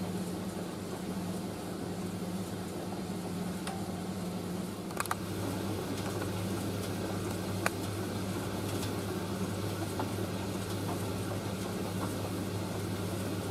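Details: Indesit IS31V 3kg compact reversing tumble dryer drying a load including a cover, drum reversing periodically to stop tangling, before final cooldown; steady low motor hum, fan rush and soft taps from the tumbling load, running normally.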